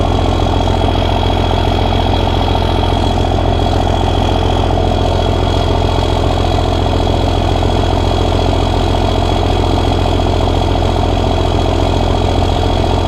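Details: Cummins diesel truck with hot-rod VP44 and new injectors, first start after five engine upgrades, with a little throttle: a firm, even idle clatter at a steady beat with no misses or odd knocks; a little black smoke seen, some earlier rough idle reported.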